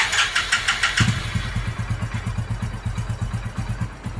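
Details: Hero Passion Pro motorcycle, petrol, after fitting a new carburetor with no adjustment and checking the spark plug: starter whirr, then engine catches and settles into an even, steady single-cylinder thump at idle; normal start and idle.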